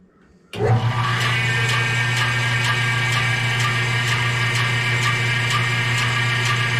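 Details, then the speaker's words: New bandsaw running up to speed with steady motor hum and a light scrape about twice a second; top wheel barely rubs, noise seems to come from the bottom pulley. Cause suspected, not confirmed. "all right that noise I think is the bottom that RAR noise that little scrape scrapers up here let's see if we can't adjust that a little bit"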